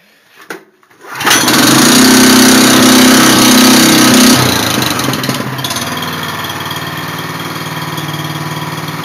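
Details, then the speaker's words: Honda engine, not started for about 2 days: a second of quiet, then it catches right away and settles into a smooth, even run with a steady beat; normal running after start. "I can't believe that thing just started up. I haven't started that thing up in like 2 days. That's pretty good. Well, it's a Honda, so it made it work right."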